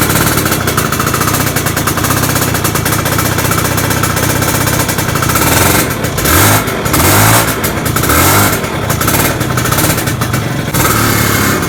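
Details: Two-stroke motorcycle (Poswan/VJR) just fitted with an RC CDI and rewired: crisp, busy running with steady crackle and a few throttle blips, firing cleanly without hesitation; normal running.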